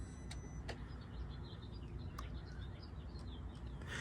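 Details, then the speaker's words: 2004 Mercedes S55 (W220) with the key out: sharp, irregular relay clicking as water in the engine fuse and relay box shorts power to ground. Clogged drain tubes caused it after the car sat under winter snow. "There go those drain plugs. Caked up. You can hear it just clicking. You can hear the relay clicking on and off."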